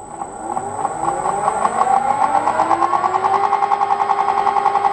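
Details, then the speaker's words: M300 lathe gearbox running at 800 then lowest 40 speed, steady gear whine rising slightly with rough uneven rhythm, sounding tooth-like at slower speed; gearbox noise, cause being tracked down. "sounds like a tooth to me at that point like he said paul it sounds a bit tooth like that doesn't it when it's on slower it does"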